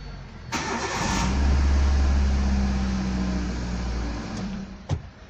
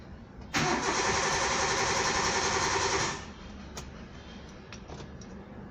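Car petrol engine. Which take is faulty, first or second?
second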